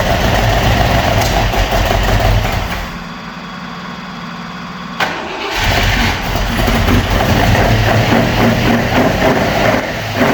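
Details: Opel Manta hatchback with Ascona front, unrun about 20 years, on old plugs, first start: catches, dips and stumbles, then an uneven, lumpy, missing idle; idle to be raised and points checked.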